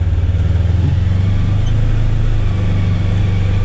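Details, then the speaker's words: Polaris Ranger XP1000 with new Hunterworks HW-925T CVT belt: low drone pulling away at low rpm and low speed, slight noise but smooth belt engagement, unlike the old belt's herky-jerky takeoff. "i mean okay there's a little bit of you this sound but it's nowhere near the kind of herky jerky engagement at that low rpm low speed off the line high high torque requirement it's just this belt man"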